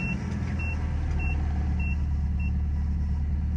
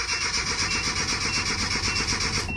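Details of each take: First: Nissan Hardbody Z24 pickup after correcting a recently replaced fuel pump that was installed wrongly and causing a no-start: steady, low, even idle with a chime beeping about three times a second; runs normally after the fix. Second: Nissan Hardbody Z24 8-plug pickup whose fuel pump was replaced a week earlier, with fuel reportedly not reaching the top. The starter cranks at about nine beats a second but never catches. It fires with carburetor cleaner, so crank no start from fuel starvation.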